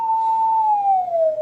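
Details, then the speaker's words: Stern tape radio recorder with 1 kHz calibration tape during speed adjustment with a screwdriver: tone sits high near 1.2 kHz, tape running fast, then slides lower (down to about 600 Hz) toward 1 kHz. "Tony the other way you can hear it's very much faster it's at one point two kilohertz now"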